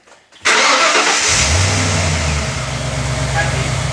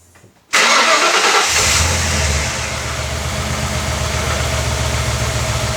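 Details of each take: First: Ford AU XR8 Falcon V8 after fixing a belt squeal above about 2,000 RPM (new tensioner pulley, then a drop of oil fixed it) and reconnecting a bad connector: brief crank, catches cleanly, smooth even run, no squeal; normal start. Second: Ford AU XR8 V8, started after the camshaft position sensor was refitted: it settles into a very rough, lumpy, stumbling idle that shakes the whole car, attributed to the poorly seated sensor connector.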